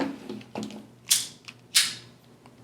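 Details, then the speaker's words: KastKing Valiant Eagle BFS baitcasting reel, new out of the box: a few quiet handling clicks, then two sharp snaps about two-thirds of a second apart, a clean double-click engage that differs from the Zephyr reel's. Normal engage click. "The engage sound is a little different than the Zephyr."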